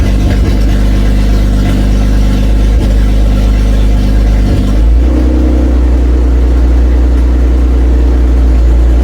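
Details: Toyota Cressida MX83 engine just reinstalled, starting after distributor re-clocked to fix mistimed spark and intake backfires; deep, steady note that settles lower and smooth partway through, no popping or misses; runs clean.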